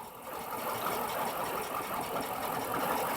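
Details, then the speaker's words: 2007 Dodge Magnum R/T 5.7 Hemi with misfire/stall issue, new EGR fitted: after revving, uneven lumpy idle with irregular stumble and visible shaking, worse than at start; no air leak found at EGR, cause unknown. "now right now look at this no turn now you see how it's shaking a little bit here you see how crazy of the shake is cars now"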